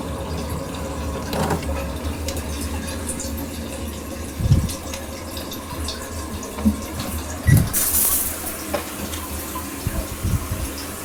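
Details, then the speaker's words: Bathroom toilet refilling after installing a water hammer arrestor on the fill valve supply: steady rush of water with only soft bumps and no hard bang in the copper pipes; the water hammer is fixed. "all right not bad it's flush and safe [Music] much better well no more banging"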